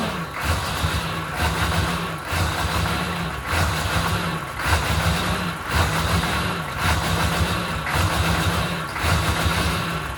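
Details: 1997 K3500 6.5 diesel, second run: uneven rough idle, clatter swelling and sagging about once a second; fuel pressure 7 psi with no bubbles, new batteries, good grounds, fuel solenoid tests good, same with genuine Stanadyne 39405 or aftermarket pump.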